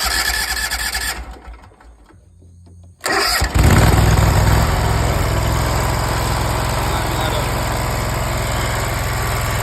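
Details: Zero-turn mower after a carburetor rebuild and a new carb, new air filter, and new spark plugs replacing fouled ones with almost no gap. It cranks, catches in about three seconds and settles into a steady, even run with no misses; normal running.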